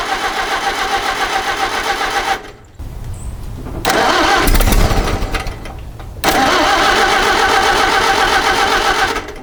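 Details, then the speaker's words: 1961 Oliver 550 tractor with a Marvel Schebler carburetor, after setting the idle screw 2.5 turns in, choke on, fuel on: it cranks, runs briefly, dies, then fires again and won't stay running. It stays running only on sprayed ether, so the carb will probably come off again. "obviously if you give it an external source of fuel if you just keep spraying it with ether it stays running and you can if you're good with the spray can you can actually make it sort of have a fairly steady smooth idle"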